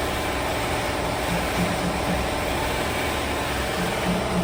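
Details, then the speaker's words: Newly bought used Neo 125 scooter idling: a steady busy clatter from the CVT with no knock rhythm; worn variator (drive pulley) kit and belt, and the noise disappeared after the complete primary transmission kit was replaced. "ela ficou com esse barulho quando foi ligada sem a transmissão mas depois que foi ligada com a transmissão trocada o barulho sumiu rapaziada"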